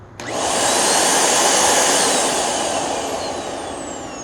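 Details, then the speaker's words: Curb-found vacuum missing its rug plate (believed the only problem) powered on: motor spins quickly to a steady, airy high whine without rattles or labouring; runs normally, no issue found. "It's not bad at all. Okay, this doesn't seem to have an issue whatsoever."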